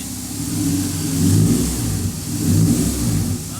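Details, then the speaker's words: Honda EK Civic hatch with K24A2 swap, sitting about three years, just after first start, before engine refresh: two smooth rev swells rising and falling cleanly over about four seconds, no knock, miss or rattle; normal revving, healthy. "Ooh! Listen, she auto smooth. Dude, K Series, you just can't go wrong with K Series."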